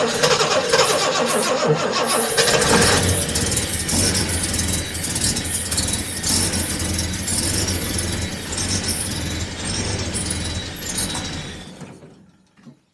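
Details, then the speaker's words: Jaguar XJC (XJ Coupe) after a rebuilt cylinder head install, plugs slightly oil-fouled, starting fluid sprayed into the carb throats: cranks, catches, runs unevenly, then dies; owner suspects fuel is not reaching the carbs. "either we're not getting fuel up to the carbs uh or something else is going on so I'm going to investigate that"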